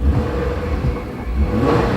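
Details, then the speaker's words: Nissan Maxima V6 with about 230,000 miles, original water pump, stock exhaust with OEM replacement mufflers, foggy day: low steady idle with even rumble and faint light ticking from aging fuel injectors; normal idle with injector tick. "What you're hearing there is just the fuel injectors. They make a little noise as they age, but it's still got tons of power left."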